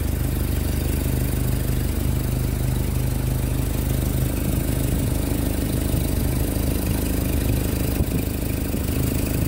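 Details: Carburetted Jeep after its fuel pump and carburettor were rebuilt, idling with a steady, even low rumble at constant speed, no misses or knocks; healthy idle.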